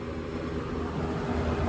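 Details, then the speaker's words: Machine-shop office condenser back running after a thunderstorm-fried thermostat, heat blowing: even low hum and steady fan rush, no knocks or rattles; normal operation. "Okay, so we just got this unit back up and running. This is going to start sweating like a beer can on a hot day."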